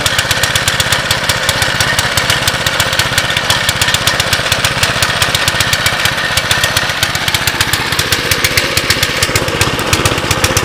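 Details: 2006 Baja Warrior, seemingly low mileage, cold start with choke off: fast, steady chuffing idle with a slightly loose, lumpy beat; rough rich idle, carb rebuild planned.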